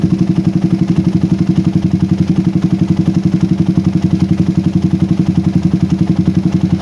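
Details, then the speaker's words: PE24 carburetor motorcycle after moving the needle clip to the top position, air screw about 1–2 turns out: steady single-cylinder thump at about four beats a second, even with no stumbling; normal, usable daily idle, much better than before. "ini cukup normal untuk digunakan sehari-hari idlenya pun berbeda sekali dengan Sebelumnya saya tidak usah nyetting idle dalam-dalam ya"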